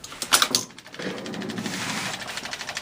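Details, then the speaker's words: 1961 Seeburg AY100U jukebox during restoration, trip switch troubleshooting with a test ground wire fitted: on selection F5, sharp clicks then a light whir with soft ticks as the record is selected and loaded normally; the test wire made no difference. "Nope. Record's up. And it's playing. No difference at all."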